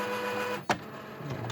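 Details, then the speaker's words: Epson WorkForce WF-3640-series printer, switched off and on after pulling jammed paper (error codes 0xE3/0xE5/0xEA): motor hum cut by one sharp hard click then two fainter clicks at power-on; problem persists, more paper suspected inside. "Hear that hard clicking? It still has a problem"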